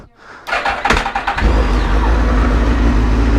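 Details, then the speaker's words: Suzuki GSX-R motorcycle with new fuel pump and Power Commander, throttle issue noted: short uneven starter chatter into a steady low rumble; cranks sluggishly, owner suspects the battery or something getting stuck. "Why is it turning over so damn slow? Someone else was saying that this could be getting stuck."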